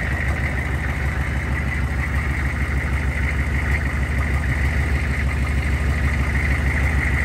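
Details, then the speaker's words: 2000 Chevrolet C3500 4x4 turbocharged 6.5 L diesel, first run: deep, loud, rough idle with raspy open exhaust note; owner says it sounds like the muffler has been cut out, not confirmed. "But she runs. Sounds like somebody has cut my muffler out."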